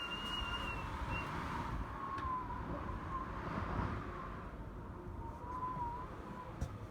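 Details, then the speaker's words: Door seal whistling in an easterly wind during severe snowy weather: a high, wavering whistle rises and falls with the gusts over a low wind roar as air gets past the seal. "I hope you can hear this it's an easterly wind blowing up the Thames but this shoe code or set here is whistling away as is the one next to it"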